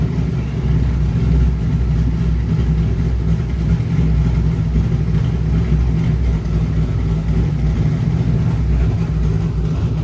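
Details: Airboat V8 with newly wired Holley Sniper EFI during tuning, reading slightly lean, both temperatures at 183: deep, steady rumble at idle, holding even with no hunting or skipping; normal idle.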